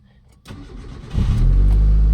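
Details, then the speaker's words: Mitsubishi CK5 cold start at lowest coolant temperature after idle-system repair with original stepper motor refitted: short crank, quick catch, smooth steady idle with properly raised compensating rpm; normal cold start. "ติดง่ายเครื่องเดินนุ่มนะครับรอบก็ชดเชยขึ้นมาให้ดีนะครับสเต็ปมอเตอร์เดิมนะครับ"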